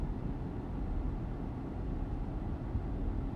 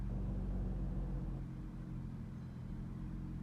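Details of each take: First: Chrysler/Jeep with code P2173 (high airflow, vacuum leak): deep, uneven idle rumble with a lumpy, stumbling misfire, shaking engine and poor revving, from a vacuum leak. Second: Chrysler after fixing code P2173 high airflow with a throttle relearn (key off, wait, restart): quiet, low, steady idle with no stumble or shake; earlier vibration, misfire and flashing check engine light are gone; normal idle.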